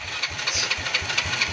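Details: Motorcycle starter after repairing a bendix that spun without engaging the engine, tested by shorting the starter. Rhythmic cranking pulses about five per second with a bright metallic whir: normal starter cranking, properly engaging.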